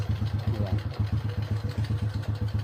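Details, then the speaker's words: Newly restored Honda Wave 125i single-cylinder idling after one-click start despite sitting a week unused, full tank; smooth even pulses, no clutch rattle since clutch lining and primary clutch were replaced; normal idle. "Walang kakakalansing. Bago kasi clutch lining yan."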